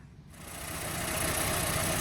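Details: Red Mini with original 65D after fitting a new coil, new power spark leads and BP5 plugs gapped at 35 thou, timing optimised: engine catches and settles into a quick, steady, even idle with no misses; healthy.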